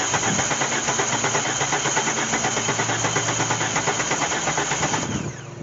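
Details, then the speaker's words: 1998 GMC Sonoma 4.3L V6, dead for years in a swamp, cranked via a remote starter trigger: starter spins the engine steadily at roughly three pulses a second but it never fires; cranks but no start. "okay that's a no-go but she's turning over"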